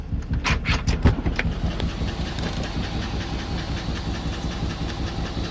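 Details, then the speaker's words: Cammed Chevy Suburban with DOD: sharp lifter tick on one side over a lumpy, shaking idle, worse in gear; a collapsed lifter is causing a misfire. "You can tell it's on this side. You can tell it's the one right here. Yep, not good. And you guys can't feel it, but the truck's shaking right now because it's causing that misfire."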